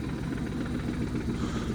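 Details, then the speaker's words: Car after a 3-2-1 swap on first drive, idling: low steady rumble with a loud, uneven clutch chatter rattling over it; owner says it was installed correctly and doesn't know why. "I can't reach how dirty it is, but you can definitely hear the clutch is so loud now. And I don't know why, but you can definitely hear that clutch chatter and crazy."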